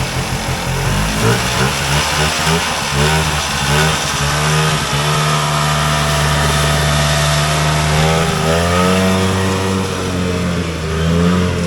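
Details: Polaris Colt vintage single-cylinder two-stroke race sled at part throttle after lowering the needle clip sounds blubbery and uneven, revs sagging and wavering instead of clearing out; runs rich and bogs.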